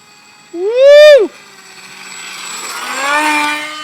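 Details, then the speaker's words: FlyCat foam jet converted to pusher prop, GH Micro Jet V3 brushless outrunner, 6x4 prop, in flight pass: loud harsh whining prop tone sweeping up then dropping, far noisier than it should be; landed to find malfunction, cause unknown. "Doesn't sound right. It's really noisy. I'm going to land it."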